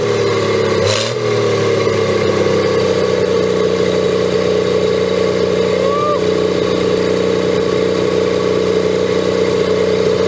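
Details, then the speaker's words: 1954 Pontiac 239 straight six revived after sitting for years, just restarted: slow, even idle holding a steady tone, no tapping or stumbling; running cleanly while warming up quickly. "i love that sound nice and slow we don't want her to get too hot"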